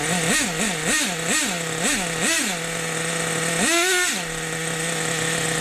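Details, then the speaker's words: Rebuilt 2002 Team Associated NTC3 nitro RC car after leaning low-end needle and lowering idle: quick sharp blips drop straight back to steady high idle that never changes, no two-stage; low end still slightly rich. "idle never changes idle never changes an idle solid no two stage staying tight it's a beautiful thing guys"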